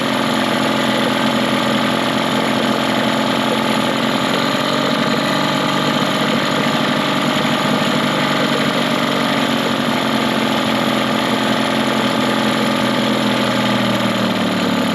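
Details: Mercury 15 hp two-stroke outboard built from two motors, in forward gear on the dock while adjusting the idle screw (one and a quarter turns): even, steady burble easing slightly slower; smooth, healthy low idle.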